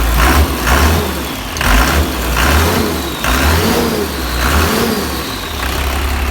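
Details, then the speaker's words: 12-valve Cummins diesel truck, started by remote starter after sitting about a year: deep, steady diesel clatter at idle with a couple of smooth rev blips after a cold start; starts instantly and runs normally. "Man, it cheats right to life. Holy crap. That's way too easy."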